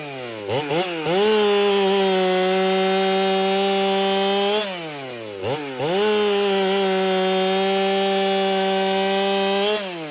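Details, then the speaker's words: Ported Holtzfforma 395 chainsaw, very quiet: steady high scream through each cut, revs rising and falling between cuts, faint breathy muffler hiss; owner suspects muffler isn't flowing enough, unconfirmed. "And it has this hiss to the muffler, I guess you could say. You can hear the air coming out of it. It's kind of got this hiss to it whenever it runs."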